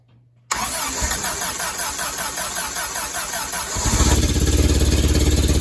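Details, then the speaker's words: Willys CJ3B "Patches" with a newly swapped F-head engine, first start after installation: brief crank, then a loud, uneven chuffing idle with strong low rumble underneath. Owner suspects an exhaust leak under the vehicle; not confirmed. "see if I can find that exhaust Le cuz it's kind of loud underneath"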